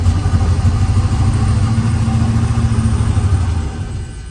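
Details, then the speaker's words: 1977 Lincoln Continental Mark V after three years in storage, new battery, fuel just starting to flow through filter: catches with low uneven rumble then sags and dies; stalls from fuel starvation. "As you can see here, fuel filter is finally starting to get fuel going through it. I think another start or two and it should continue running"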